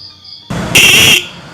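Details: Used motorcycle horn, adjusting screw loosened and tightened bit by bit to find the loudest point: short, sharp, high steady blare, clean with no rattle; the serviced used horn sounds strong and still usable.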